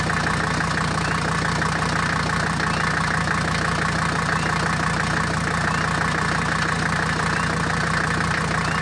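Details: Mercedes W123, 400,000 miles, after replacing cracked leaking radiator and faulty thermostat that caused overheating: even, settled idle with steady low rumble and regular light clatter about three beats a second; overheating fixed; normal idle.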